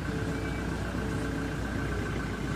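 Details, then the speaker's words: Toyota Hilux after clutch push rod adjustment; before, transmission was noisy at idle and quieted with clutch pressed, release bearing riding on pressure plate: now steady even idle, faint constant high tone, no gearbox rattle or growl; normal. "Pero ngayon, okay na siya mga boss. Papak. Okay oh. Parang kumihi. Oo, wala nang ingay ng clutch."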